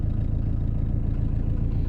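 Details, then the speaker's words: Diesel engine with turbo, started without preheating on first turn after three hours of pump timing work, cold weather; steady even clatter at idle with smooth deep rumble, no misses, normal healthy idle. "donc là je vais mettre en route pas besoin de préchauffer vous avez vu au quart de tour démarre au quart de tour cette caisse"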